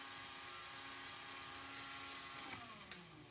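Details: Lionel 3927 track cleaning car motor, on the track after cleaning: a clean high-pitched whine holds steady, then slides down smoothly as it coasts to a stop. Runs freely and works after the repair.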